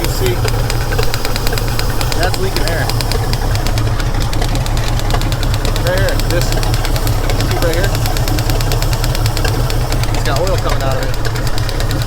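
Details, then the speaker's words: 1949 White wrecker truck engine running: rapid, regular popping over a low rumble, probably from the air pump (compressor), possibly echoing up; noise goes away when the opening is covered. "you hear that popping yeah is that coming out of that probably the air pump"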